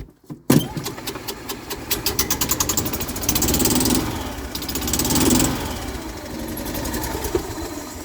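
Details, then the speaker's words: Golf cart engine, cold start (exhaust cold), oil change due; brief crank, catches, even steady single-cylinder putter, no misses or knocks. Normal cold start. "and just to prove that it was cold my hand is on the exhaust yes it was just running but still my hands on the exhaust"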